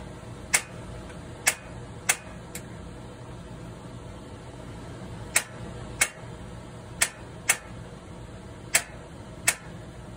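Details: 2012 Surveyor 304 travel trailer stove burner lighting once air clears from the line; sharp, irregular snapping igniter clicks about one a second over quiet background; normal igniter ticking.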